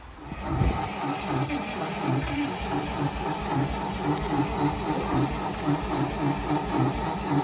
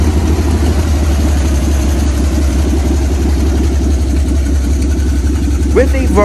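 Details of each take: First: Carbureted 1955 Dodge M152 command truck, unused 15 years, restart attempt. Starter churns in a slow, rhythmic crank that never catches. Gas smell; owner suspects a flooded carburetor. Cranks but will not start. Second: 1955 Dodge M152 command truck after sitting 15 years, with batteries put in, fresh fuel and a fuel line run to the engine: fires and settles into a steady, even low idle with no knocks or misses; normal idle after long storage.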